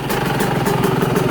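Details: Cold Yamaha YZ125 two-stroke dirt bike on 25:1 premix, idle set very low; low even putter at slow steady beat, about ten pops a second, no stumbling, idling normally.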